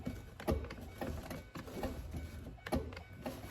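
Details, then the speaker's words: 2005-13 C6 Corvette driver-side door, new window regulator installed, panel and connector on: faint, unevenly spaced motor ticks with no steady winding hum; regulator seized and won't travel, new regulator later also failed to move when bench-tested. "I would highly doubt that it would need to be under pressure to move. I mean, it sounds like it's wanting to move."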